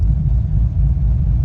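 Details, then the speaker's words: LS-swapped BMW E36 during self-tuning, running on months-old fuel; deep, even idle rumble with no misses or hunting, holding rock solid with a normal swing; pressing the brake pedal loses booster vacuum and may introduce an air leak. "Idols holding pretty pretty Rock Solid not too bad that's like a normal swing"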